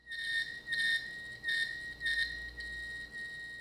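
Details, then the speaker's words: Hard drive after being shaken and opened: thin high screech pulsing about every half second with a few clicks; heads slapping something inside; drive crashes and won't boot. "you can actually hear it click a few times if you listen closely the drive head is slapping something in there"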